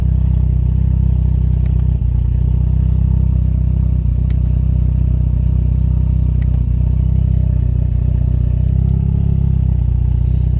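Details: Toyota Caldina ST215 3S-GTE with Link Storm ECU, earth faults fixed, first start after two years parked: steady, deep idle with even beat and only a few light ticks, running smoothly; normal idle.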